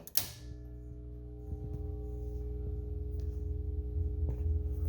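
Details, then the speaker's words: Atari Asteroids arcade cabinet power supply switched on with game board and monitor disconnected: thump at switch-on, then steady mains hum with a faint buzz slowly swelling; buzz probably from lack of a signal, unconfirmed. "a bit of buzz that's probably from the uh lack of a uh signal"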